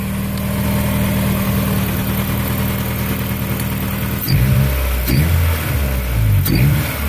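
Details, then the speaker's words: 1989 Honda Prelude Si after fuel injector replacement; the engine shook badly before: steady low engine drone, then crisp throttle blips around four and six seconds that rise and fall quickly; smooth, instant response with only normal vibration. "the engine was really shaking a lot before the field injectors changed now it's pretty much just normal vibration man oh i love it"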